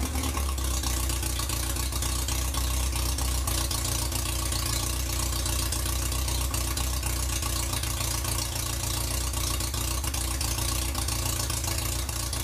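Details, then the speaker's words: 1947 MG TC XPAG engine, running on a stand after about 40 years lying on its side, with a temporary radiator and exhaust pipe and untested carburettors: steady, even low idle, smooth rhythm, no knocks or misses; may need a little fine tuning but normal idle. "so well we might like to do a little fine tuning but that's not too bad"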